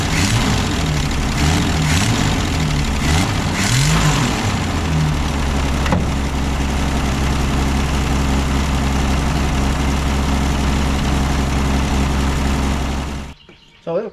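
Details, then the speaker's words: Ford Falcon revived after new points, condenser, cap, rotor and plugs, with a radiator leak: the engine settles into a steady but fast idle with a slightly uneven beat; high idle with the choke line to the manifold disconnected. "up run idle i'd run a little high but the choke is also not hooked up"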